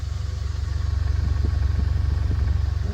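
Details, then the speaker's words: 1990 Honda Accord EX that sat over a year, has an unexplained overheating problem and was just restarted on a charged battery: a quiet, even idle with steady firing pulses and no misses, settled down after working through its system; normal idle. "running pretty quiet seems to have calmed down a little bit I guess it just had to you know kind of work something through its system and settle down"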